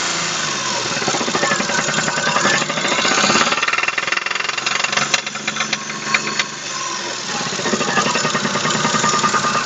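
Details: Daewoo Matiz 0.8: front crankshaft seal pushed out in frost, oil lost, main bearings spun; hard metallic knocking, a few per second, loudest as revs rise and fall; crankshaft main bearing knock.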